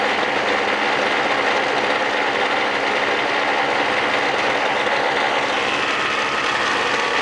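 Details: 1999 Snapper SX5200E single-stage snowblower, Tecumseh HSK850 2-cycle 5 hp 139cc engine, after cold start: loud, constant buzzy two-stroke drone at steady speed like a boat motor, slight normal smoke, no misses, knocks or surging; healthy.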